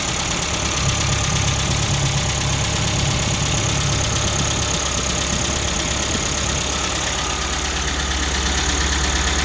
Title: MGB GT cold running - tapping noises